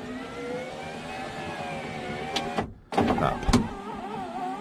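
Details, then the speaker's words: Suzuki X-90 driver's power window after replacing failed motor (went down but not up): motor whirs with wavering, sagging pitch as glass climbs; still weak but much better than before, slow window motor. "pretty weak but it's going way better than it did i count that as up"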